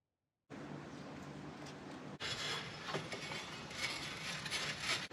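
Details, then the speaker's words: Accord with H22 swap, homemade fan shroud on tucked radiator, fan bench-powered: uneven clicking rattle on the fan whir, sharper as it spins up; blades touching the shroud from insufficient clearance, later fixed. "I don't like that. We gotta figure out where that noise is coming from. It's touching something somewhere."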